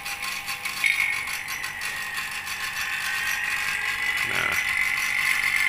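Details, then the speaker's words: Vacuum pump evacuating an R32 air conditioner after the indoor unit was removed and reinstalled, with the outdoor unit's refrigerant valves kept closed. Fast, steady rattling whirr with a high tone that settles and holds as it pulls down, normal operation. "jadi tetap kita lakukan proses vakum kembali ya"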